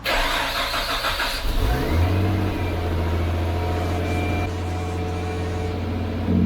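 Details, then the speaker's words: Nissan Stagea C34 RB25DET after a Walbro 460 fuel pump install: brief cranking catches quickly, a short rev, then a steady low idle with no misses or knocks; normal start and idle. "There it is, boys, running on the Walbro 460."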